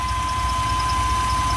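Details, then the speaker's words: GMC Safari 4.3L Vortec V6 with code P0305 cylinder 5 misfire, after new platinum plugs, cleaned cap and rotor, and broken wires fixed, warming up: steady smooth idle with no stumbles or skips; misfire gone. "sounds quiet see the difference in a note we got to put that Techron in probably do that tomorrow sounds good over here nice and smooth"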